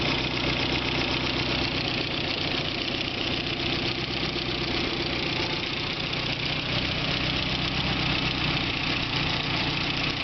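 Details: BMW E30 M3 S14 engine at steady idle with light, fast, slightly uneven ticking about four a second; source of the tick not pinned down.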